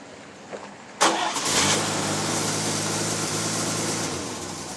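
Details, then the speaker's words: Chevy Styleline 216 engine after replacing the water pump, whose worn bushing had let the fan wobble and make a loud noise. Cranks, catches and settles into a smooth, even idle with no metallic rattle from the fan. "well it was definitely the water pump making that noise and I am happy now I can drive my car again"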